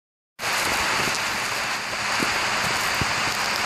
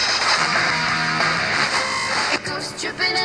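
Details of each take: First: FM tuner being tuned: loud hissing static with sharp crackles and pops from oxidized tuning contacts in the tuning condenser, green corrosion visible; fix is cleaning the condenser. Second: FM tuner after cleaning oxidized tuning condenser contacts with DeoxIT D5, before RF realignment: station music plays clearly and steadily with no crackle or dropouts, now tunable.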